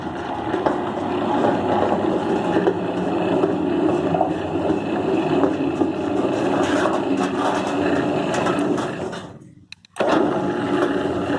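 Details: Electric gate opener motor that only opened with a jolt, apparently not a mechanical fault: after replacing the capacitor with one of the same specifications it runs with a steady, even whir, no jolting or strain.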